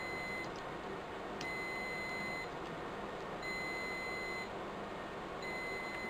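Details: Riello DVD 2200 2U UPS: steady high-pitched beep about one second long repeating every two seconds over faint room hum, alarming for worn-out batteries; UPS battery fault alarm.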